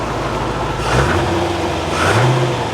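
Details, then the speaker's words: Barn-find C4 Corvette ZR-1 after an ECM repair, with good oil pressure and coolant slightly low from partial draining: two throttle blips drop back cleanly without stumble, running smooth and healthy. "lovely oil pressure that sounds really healthy now doesn't it smooth as anything"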